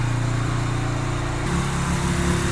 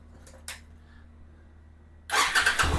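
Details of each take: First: 2007 Yamaha Virago 250 after fitting a new CDI, with the air box off, tank loosely fitted and fuel on prime. Fast, even idle hanging well above normal; owner plans to lower the idle and adjust the air-fuel mixture screw. High idle. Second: 2007 Yamaha Virago 250 after a replacement CDI and fixes to the charging system: quick crank, the twin catches at once and settles into a steady, even idle with no misses or knocks; starts and idles normally.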